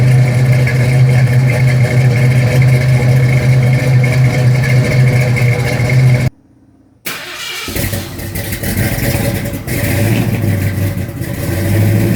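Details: 1972 Mustang Mach 1, rebuilt 351 Cleveland Cobra Jet V8 with Wolverine Blue Racer cam (510/536 lift, 290 duration), cold; choppy loping idle, short dropout, light blips to about 2,000 rpm; normal lumpy cam idle.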